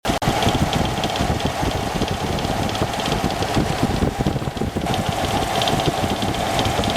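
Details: Engine at idle: a busy, rapid clatter rides over the engine note, which stays steady throughout; an abnormal noise with no clear cause.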